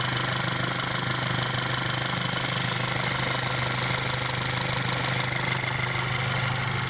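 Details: VW Jetta MK6 2.0T TSI at idle after a high-pressure fuel pump replacement, fixing hard starting and stalling on startup (worse in cold): steady idle, light, even injector ticking over a smooth hum, no stumbles; no fuel leaks; running properly.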